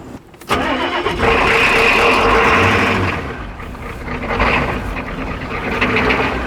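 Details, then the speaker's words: Turbo Ford 6.9 IDI diesel, freed from seizure. After power was jumped to the fuel solenoid, fuel reached every cylinder and the injectors were tightened, it cranks with starting fluid, catches sharply and settles to a rough but steady run, briefly on its own fuel. "well it runs it even ran on its own fuel there for a second let's do that again"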